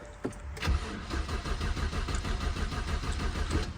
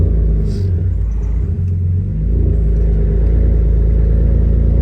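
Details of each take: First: BMW E82 1 Series project car, first start attempt after swapping a fuse: starter cranks steadily at about two beats a second but engine never catches or picks up speed; crank-no-start. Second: BMW E82 1 Series cold start after replacing both coil packs and clearing misfire codes (cylinders 1 and 3): loud, deep, steady idle with even beat, no tapping, knocking or misfire, healthier than before.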